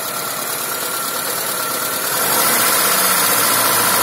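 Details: Engine idling: steady idle with regular light tapping about four times a second over the engine note; engine knock at idle, cause unclear.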